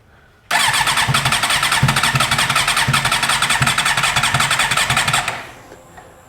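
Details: 2008 Suzuki GSX-R750 cranking on the starter with fuel pressure low (about 34–36 psi, slowly dropping, spec 43): even quick cranking for about five seconds, never catches. Hard starting; fuel pump or pressure issue suspected, not confirmed.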